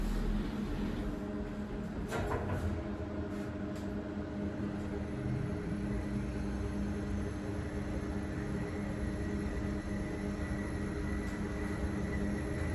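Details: Kone Monospace (EcoDisc) lift in a car park: steady low droning hum throughout travel with a few clanks early on; bad bearings suspected, not confirmed.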